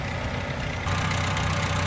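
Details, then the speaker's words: 1997 Chevy S10 at idle: a light metallic, diesel-like rattle at the front of the engine that worsens as it warms up; timing chain and tensioner rattle, fixed by replacing the timing chain. "customer complaints was the noise i hope you guys can hear it sounds like a diesel kind of and as i get gets warmer it gets worse"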